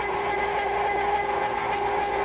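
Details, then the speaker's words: Cuisinart frozen yogurt, sorbet and ice cream maker near the end of a first batch of vanilla with pecans: steady, even hum at constant pitch with no knocks, rattles or surging; normal running, owner says it isn't very noisy. "it's coming out. It doesn't make a lot of noise. I love it so far."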